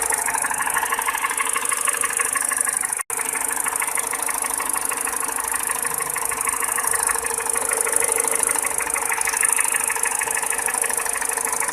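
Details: 207 petrol engine at steady idle: sharp, fairly regular clacking tick about three per second; mechanical clatter, source undetermined.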